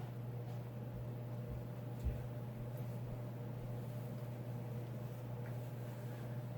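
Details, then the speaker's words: Mid-1980s Sears Turn of the Century 5-blade ceiling fan (Lasko, Sanyo motor, model 435.115500) running in reverse at medium, then turned up to high: low steady hum, soft whoosh, no ticking or wobble; seems a bit quieter in reverse. "feel like it is a bit quieter in Reverse I don't know why"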